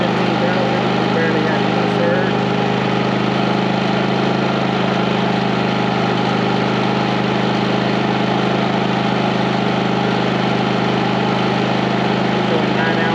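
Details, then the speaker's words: 4500-watt generator with 30 amp RV plug running 15,000 and 13,500 BTU RV air conditioners with soft starts: steady, even drone without surging as compressors come on; generator carrying the load smoothly. "that's the inverter and everything people so you hear how smooth [Music] okay so the question was will a 15 000 and a 13 5 run with this all star rv on both of them on a 30 amp service the answer is yes with power to spare"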